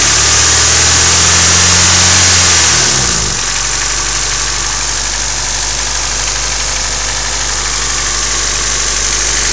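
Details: Honda EF sedan D15 at steady idle with a crisp even tick about four per second; owner unsure whether knock or lifter tick.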